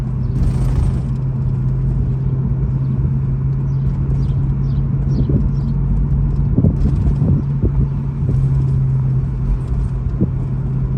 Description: There's a metallic rattling/jiggling/chirping noise coming from underneath my 2012 BMW E93 M3 convertible over pavement expansion joints, bumps, and road imperfections. It's most audible at low speeds, in any temperature.